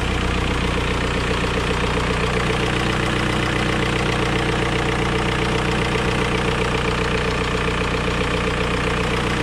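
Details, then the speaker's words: 2003 VW Beetle 1.9 TDI diesel after new turbo wastegate and repairs: steady diesel idle with a light tick about twice a second over the clatter; owner suspects small exhaust leak, slight turbo whistle also heard. "A little bit ticky. I don't know what that is. A small exhaust leak somewhere as possible."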